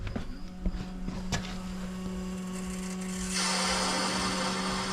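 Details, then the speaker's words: 2021 Ford F-250 6.7 Powerstroke diesel after changing both fuel filters, key on priming: steady electric lift-pump hum, then rushing whoosh as the empty filter housing fills; normal priming. "so you can hear it I mean just honestly just leave the thing on like Let It fill so wait for that to stop"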